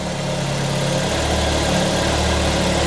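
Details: Peugeot 205 GTI petrol engine idling steadily with an even low hum and no more odd noises after fixing starting problems, including a cannibalised tachometric relay; normal idle.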